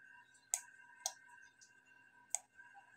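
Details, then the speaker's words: Relay module driven by an IR proximity sensor through a resistor limiter set to 10K. Crisp single clicks at uneven intervals over a faint electrical hum as the relay snaps on with signal and off without it; normal switching. "So pansinin niyo po, maririnig niyo yung relay mag-on and off, magki-click."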